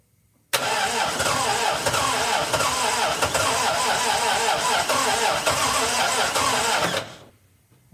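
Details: 1961 Triumph TR3A, barn find off the road since 1985, just fitted with new high-torque starter, fresh oil, 50 psi oil pressure while cranking: starter churns unevenly about six seconds, no firing, then stops; cranks but won't catch because the fuel is shut off.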